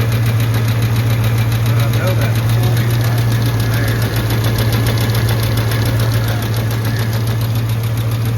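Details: Truck idling after a struggling start on a cool 61°F morning, oil pressure good but drops when oil warms: quick light ticking at three to four per second over steady idle hum; source not pinned down, suspected, unconfirmed.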